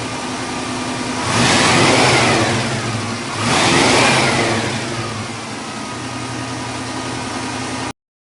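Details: 1974 International Scout II, 304 V8, 727 Torqueflite automatic, dual exhaust, cast manifolds: two clean throttle blips rising and falling, then even steady idle, no knocks or misfires; normal start and revving.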